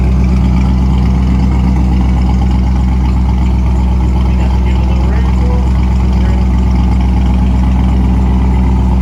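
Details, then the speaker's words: Ford Mustang 5.0 V8, idling after start: deep, loud, lumpy burble with even firing pulses and a throaty exhaust; engine sounds healthy. "When I'm cruising, not really too loud, but once I get on it, I mean, you can hear this car open up the whole entire block. It just echoes."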